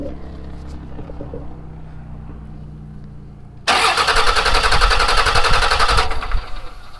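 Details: Salvaged Dodge Cummins diesel, number six cylinder compression test after running Seafoam through it and blowing out carbon: loud, fast, even cranking around 220 beats a minute without firing; reading about 460 to 500.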